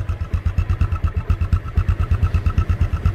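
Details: 2010 Yamaha Exciter single-swingarm motorcycle, first registered 2013: the small single idles at about ten even pulses a second with a steady beat and no misses or rattles; a healthy idle.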